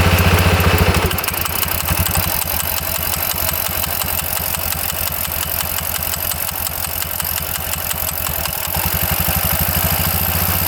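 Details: After a worn, cracked drive belt was replaced: it catches after about a second and settles into a steady, even idle pulse with no misses or knocks; normal start.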